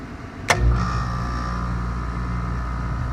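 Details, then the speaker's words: Home AC outdoor unit: contactor clicks and the compressor hums steadily, but the condenser fan never starts and no fan whoosh builds; failed run capacitor, fan nudged with a stick to get it going. "so there's the contactor in here the compressor running when the fans not turn will take my trusty stick here and try to give it a joke"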